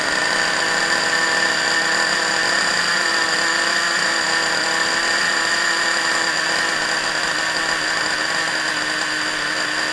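Small nitro engine screams at a steady high pitch without sputtering or cutting out. It is running normally after starting.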